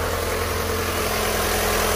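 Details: Ford Fiesta Rocam 1.6 at idle: even low drone with a faint busy internal clatter on top; cause unclear, possibly something dropped inside or a crack near the engine cover.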